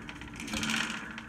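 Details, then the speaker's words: Ikea cellular blind in a bus conversion, quick light tinny rattle over road hum while driving: loose spring in the headrail; fixed by wrapping the spring in paper towel. "that rattles around and makes a ton of noise."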